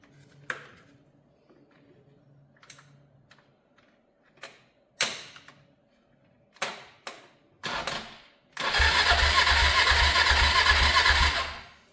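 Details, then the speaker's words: 500cc motorcycle abandoned in a field for years, jump-started from a van battery: a few light taps, then quick, even cranking with uniform compression pulses. The engine is not seized, turns freely and seems to have good compression. "That actually sounded really good, didn't it? Yeah. I mean, that sounded like it had pretty good compression. Yeah. Turning over pretty effortlessly."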